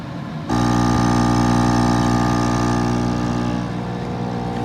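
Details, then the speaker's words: Active Aqua 7.8 L dual-output air pump, received used and missing a screw: loud steady electric buzz with loose internals rattling against housing from vibration; fixed by securing internals. "Got this on Amazon, and apparently they sent me a used one, and it was missing a screw and everything else, so it looks like somebody had returned it, and it's probably because it's so damn noisy."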